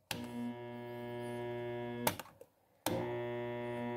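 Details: Jacto Clean J6200 pressure washer motor, separated from pump: steady low electrical hum with no spin-up and high current draw, cut off and reapplied; seized armature bearing, not capacitor, fixed by bearing replacement.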